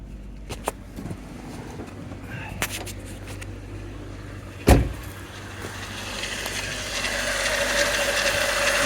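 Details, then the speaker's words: 1998 VW Mk3 Jetta VR6 12v after spark plug change (new ruthenium HX plugs), in Colorado winter cold; steady even idle hum with slight timing chain noise that usually goes away, no misfires, normal idle. "a little bit of that timing chain right here a little bit usually it goes away but no misfires nice idle"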